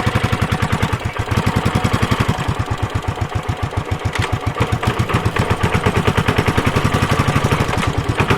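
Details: Suzuki Savage 650 single ridden hard in too high a gear at very low revs: heavy, uneven thumps and jerking through the drivetrain; engine lugging and snatching.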